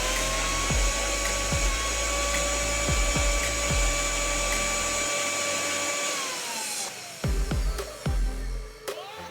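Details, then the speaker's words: Mixer grinder that threw sparks and fire from inside, after switch replacement with reset switch reconnected: steady even high motor whine, no rattle or stutter, smooth wind-down when off; normal motor run after repair. "அவ்வளவுதான் எந்த ஒரு பிரச்சனை இல்லாம mixie சூப்பரா run ஆகுது"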